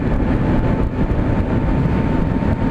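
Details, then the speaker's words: Harley-Davidson LiveWire electric motorcycle riding: thin, steady whine, rider thinks from the transmission, above heavy wind rumble that dominates near 50 mph; normal electric motor and drive sound. "you can kind of hear the whining from the transmission or something I don't know what exactly that is but"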